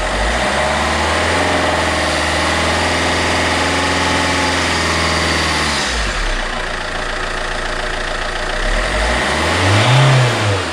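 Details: Alfa Romeo 159 1.9 JTDM diesel after fitting a new exchange turbo: fires quickly, steady even idle, then revs up and down cleanly with no knocks or whistles. Left idling hot to burn residual oil from exhaust and DPF.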